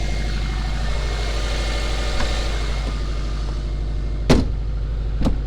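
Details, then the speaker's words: Bugeye Subaru WRX at startup after replacing a misfiring coil pack with a new Subaru one: a low, even idle with a smooth, regular beat and no stumbles or skips, just a couple of handling knocks; misfire gone, runs clean and quiet. "all right she started right up sounds good quiet"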